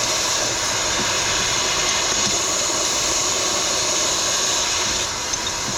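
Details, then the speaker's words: Semi truck drive tire, fitting the tire equalizer hose to the valve between the duals before tightening: a constant, loud, high hiss as air escapes at the valve, only a minor loss during installation. "Now it's time to tighten it. It's leaking air if you can hear it. I need to hold the hose."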